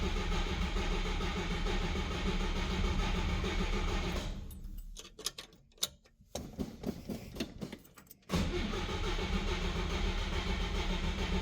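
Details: 1955 Chevrolet Bel Air, unused for a long while, first start with a new battery and oil checked: the starter grinds for seconds, pauses with clicks, then cranks again without firing. It may need priming, and it later starts with a chattery top end.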